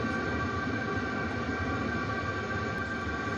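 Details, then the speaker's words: Webasto heater in a converted van, supplied without an exhaust silencer: steady, loud roar with a constant hum, no rhythm, during the first few minutes of start-up. It quiets once the heater is up to temperature. "Là, il est livré sans, et donc oui, ça fait un bruit de dingue."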